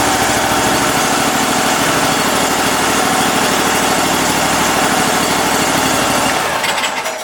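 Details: Cub Cadet Super 2082 lawn tractor, sat at least 2 years: small engine runs steady and even with a rapid beat, no misfires or hunting, then shuts off; needs choke every start but runs normally.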